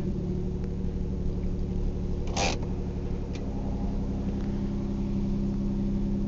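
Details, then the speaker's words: 1997 Ford Probe GT 2.5, 5-speed manual, 187,000 miles, idling after cold start: smooth steady low hum with one brief handling clatter; good oil pressure, good charge, no smoke; normal idle. "good oil pressure good charge"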